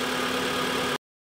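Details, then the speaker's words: 2014 Mitsubishi Outlander 4B11, 196,000 km, after cylinder resleeving to standard size for scoring and cold knock: steady smooth idle, quiet with no knock or tapping, running as it should. "оп Ну тишина красота работает прямо как как надо на этом я думаю можно заканчивать серию ребят"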